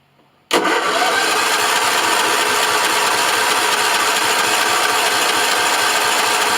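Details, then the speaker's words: John Deere L110 mower engine after a carb clean without full strip-down and a second oil change; it catches instantly and settles to a steady, even idle with no backfire or misses. Normal start and idle. "Cool, no backfire or none of that. Runs pretty good."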